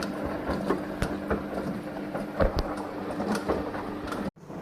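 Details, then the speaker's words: Samsung washing machine humming with irregular knocking and creaking, from the drum shaft; noise eliminated after repair. "на ремонте стиральная машина Samsung с характерным звуком получается у неё издаётся лишний звуки как будто стучить что-то"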